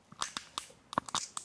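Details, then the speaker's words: Wilier GranTurismo road bike, rim brakes, front end turned: irregular dry creaks and crunchy ticks sounding like the headset, but headset bearings were fine; caused by exposed frayed cable strands rotating in a metal cap. "The sound you're hearing is these metal strands here rotating. They shouldn't be exposed like this, rotating in this metal cap in here."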